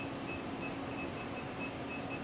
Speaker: And I hear this sound. It's normal. Yes, that's normal. Okay. That's the servoing of the stage. Okay. Their stages are a little bit noisy.